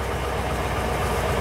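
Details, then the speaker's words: Dually truck after fitting a new fuel pump and sending unit assembly: a steady even low rumble with no misses, knocks or stumbles; the engine runs smoothly. "ain't that a sweet sound"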